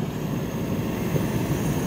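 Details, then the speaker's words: Gree inverter package-type air conditioner with H5 error, after replacing driver board, PCB and fan motor: even whooshing airflow over smooth low hum, no rattle; fan motor now quiet, compressor running. "Ayan, so pinandar na namin. Ayan, at wala nang ingay yung pan motor natin."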